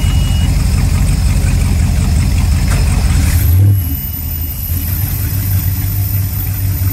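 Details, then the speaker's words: 1995 Formula 419 boat with triple 502 V8s, started one motor at a time in the water: deep steady burble, quick blip rising and falling cleanly back to smooth idle; normal idle and rev. "Nothing like having three 502's. See, it still sounds good, but it's not overpowering."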